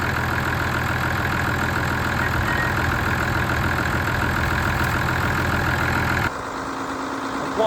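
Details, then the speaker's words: Ford tractor diesel restarted after a blocked fuel supply was cleared: even, steady idle chug with no misses or stumbles until it shuts off; normal diesel idle. "for this thing it sounds pretty damn good it's better when you can't hear it at all though"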